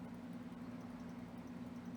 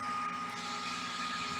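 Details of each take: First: Xbox Series S, overheating shutdowns from slow fan, after fan speed potentiometer mod: soft, steady hum and even airy whoosh, no rattle or whine; fan now faster yet quiet. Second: Xbox Series S cooling fan, console off, fed a steady 12 V with the speed-signal pin removed: loud, constant rushing hiss and whine with no speed change; fan forced to full speed.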